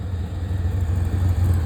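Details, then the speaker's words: Drag Nova on a 4,400 rpm two-step: deep rumble wavering and stumbling, not revving cleanly, banging off the limiter; engine breaking up and losing power, carburetor issue or out of fuel suspected, not confirmed. "Definitely breaking up. So, it had a 4400 in the two-step and it kind of sounded like it was banging off the 4,400 and it wasn't revving very clean."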